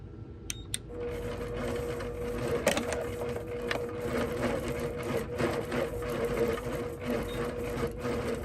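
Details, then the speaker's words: APQS longarm quilting machine in stitch-regulated mode with Quilt Glide off, speed turned down near 7, doing small meandering. A motor hum with needle patter rises and falls with hand movement and stops when movement stops. Normal stitch-regulated motor speed. "When your stitch regulator is going and you're moving, it's going at the speed that you're moving. So you hear the ebb and flow of your motor."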